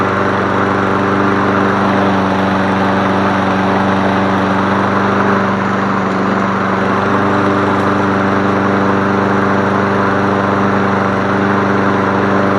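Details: Toro 22-inch Recycler mower reassembled after being found taken apart, freshly topped up with gas: steady, even single-cylinder drone at constant speed with no misses, surging or knocks. Normal running.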